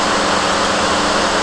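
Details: 2007 GMC Acadia, 248,000 miles, after charge port valves replaced, system evacuated and recharged with about 1 kg R-134a: steady, even blower and airflow rush, no cycling, rattles or squeal, 50-degree vent air; normal A/C operation.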